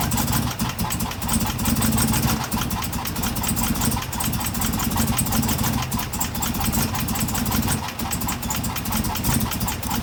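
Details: 2016 Chevrolet Camaro LT1 V8 at idle, with a factory fault that first seemed like bad gas. Loud, lumpy, stumbling idle; misfire from the number 5 valve spring, cracked at the top, with no valve-to-piston contact.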